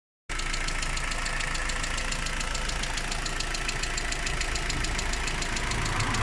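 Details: Rover 25 engine at idle: steady tick about four per second over an even idle, constant throughout; strange noise, cause unknown.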